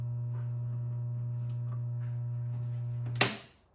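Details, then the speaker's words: 1978 Williams Phoenix pinball machine, first power-on during restoration after a burnt audio amplifier: a loud, steady low hum from the speaker regardless of volume, then a clunk as power drops; soundboard still faulty, no game sound. "Either we're going to have a really loud hum out of the speaker regardless of the volume potentiometer, which would indicate that there's still a problem on the soundboard, or the sound is going to work now."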